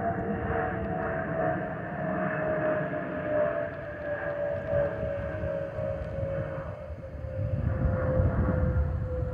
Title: Delta Airlines Airbus A319-114 N349NB DL2913 ALB-DTW (FOPP Whistling Sound)